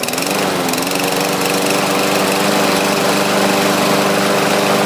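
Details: 2014 lawn mower after choke linkage adjustment, warm after about 15 minutes running, oil level correct: small engine holds a steady, even buzz at constant speed with no misses or knocks; running healthy.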